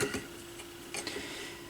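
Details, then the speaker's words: Yamaha YP-B4 turntable from a thrift store, initial evaluation: faint, steady low motor hum with a few light handling clinks; the motor spins smoothly and quietly. "and the motor's spinning and the motor is quiet"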